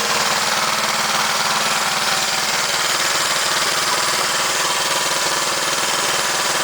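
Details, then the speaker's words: Fully restored 1971 Honda CL350 K3 twin, started after restoration with fuel and key on: even, steady idle with quick regular firing patter, no knocks or misses; normal healthy idle. "We got everything done up and it works really good, and I'm going to actually start it up and let you hear something you probably haven't heard in quite a number of years."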